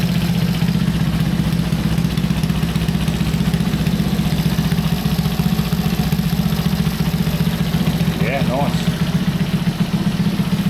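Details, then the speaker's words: Honda C200 motorcycle after 12V conversion, first start-up with a part fitted loosely: small single idles steadily around four beats a second, no misses or knocks, a little smoky; runs healthy, owner unsure about the carb. "So I suppose we better start it up and see what it sounds like. Well, she's running. She sounds pretty well."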